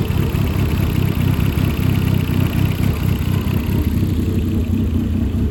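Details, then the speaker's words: 2008 Dodge Caliber SRT4, abused project car, first start: rough idle with loose irregular ticking about four per second, no deep knock. Owner suspects the ticking is the injectors, not a rod knock. "So It's not running the smoothest, but I don't hear a rod knock. I mean, the loud ticking up here is most likely just the injectors."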